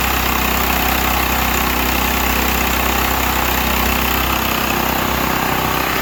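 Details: Used Stanley 8000 W all-weather generator, sat four years, running after a starting-fluid start, choke off; steady, even drone at constant speed with no knocks, misses or hunting, normal running.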